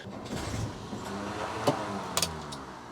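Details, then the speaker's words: 1962 Rover P4 cranking with a poor battery connection and possibly dead battery: slow, labouring crank with wavering whirr and sharp clicks, briefly tries to fire; horrible noise, cause unclear. "Crappy connection on the battery. That's making a horrible noise. What is possibly going on there?"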